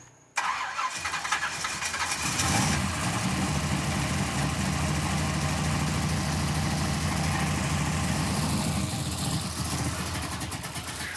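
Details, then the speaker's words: 1967 Pontiac Firebird V8 restarted after distributor reinstall fixed oil pressure; timing being set. Fires straight up, revs briefly, settles to steady even rumble with no knock or miss; motor undamaged, normal idle. "Thank God we didn't kill that motor."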